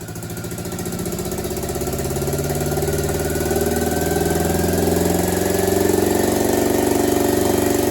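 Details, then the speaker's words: Honda D16 swapped into an Integra, before interior wiring harness replacement: heavy, thudding tractor-like chug around four beats a second, running only on cylinder three; compression fine, injector clip swap showed only one works; misfire from previous-owner-damaged wiring harness. "so as you can hear it runs just like a tractor and rightfully so because it's only running on cylinder three did a compression test because it sounded like a compression problem compression's fine"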